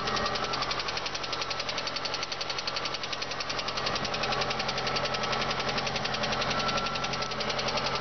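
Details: VAZ 2112 16-valve engine at idle: steady, rapid knocking at nearly four a second riding clearly over an even idle; a distinct internal engine knock, source undetermined.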